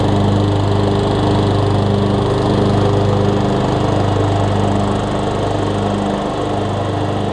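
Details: 2003 Craftsman LT2000 riding mower after new belts and freeing a frozen deck spindle: steady, even drone from the small engine with blades spinning, no knocking, squealing or grinding; deck runs smoothly.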